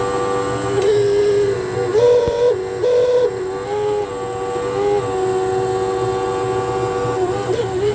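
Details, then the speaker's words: Hotpoint NTM1192SKUK tumble dryer, side panel off, drain pump at bottom left: loud wavering mid-pitched whine as the faulty pump runs dry with no water; the pump was replaced to fix it. "this one here I think develops a little bit of a fault so it's incredibly noisy when it gets uh to pump but it hasn't got any water to pump out it's pumping dry"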